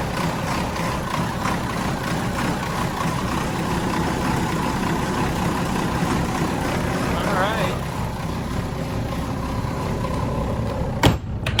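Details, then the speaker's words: 25-year-old Volvo mechanical diesels on a 2000 Pursuit 3400 boat after a cold-winter first start: low, steady rumble at a constant idle with no knocking, misfire or hunting. Sounds healthy. "give him a little idle speed here nice sound pretty good yeah all right sweet"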